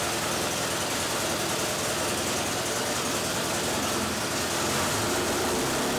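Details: Modified Pontiac Fiero 2.5 Iron Duke four-cylinder, now about 3.0 L (186 ci), naturally aspirated, custom cam, 500 cfm 2-barrel; dyno run, steady even roar without knocks, misses or ticks; healthy.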